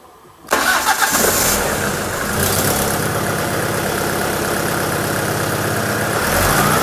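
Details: Alfa Romeo 166 2.0 TS petrol engine, knock progressing over several months, tested with variator solenoid disconnected: cranks, catches and idles with steady crackly knocking, cause unknown; oil, oil pressure and rod bearings still to check.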